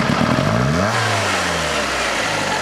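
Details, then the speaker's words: Fiat Panda 4x4 Sisley carburettor engine at full throttle: revs rise then sag, rough and uneven as if firing on two cylinders; misfire from overfueling, jammed float raising fuel level, fixed by bending float pin to lower bowl level. "Like it's only firing on 2 cylinders when it throttles up."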